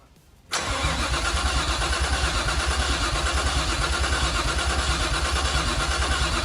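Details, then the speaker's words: Nissan R33 Skyline project after new Walbro fuel pump, fuel confirmed: even starter cranking about three pulses a second, never firing; spark not yet tested, possibly ignition arcing; crank, no start. "okay we have fuel the pump is working we have crank as you can hear so now we're going to test spark"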